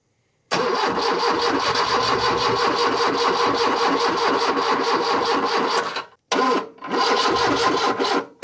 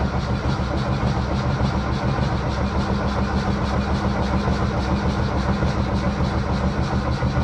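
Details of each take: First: 1978 Lada Niva, parked two years, after backfiring earlier: long steady cranking with even pulses for five seconds, nearly catching, then slowing and cutting out; weak battery, long crank without starting. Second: 1978 Lada Niva, last started two years ago and parked in a hedge, choke pulled, oil pressure present; starter turns the engine briskly and evenly with steady compression, fuel delivery doubtful: normal cranking speed.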